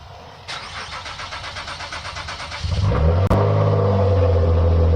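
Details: Nissan Altima SE-R after replacing AC condenser and radiator, coolant refilled and oil changed, jump-started on a dead battery: even cranking at about three and a half turns a second, then fires cleanly into a steady, smooth idle.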